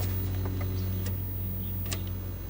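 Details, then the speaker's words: 1964 Wards Airline CTC 15 color TV with no picture, no sound and low wattage (335): a steady low hum with faint ticks over a quiet room, the vertical running normally. "i do hear the vertical running that so how can we have high voltage"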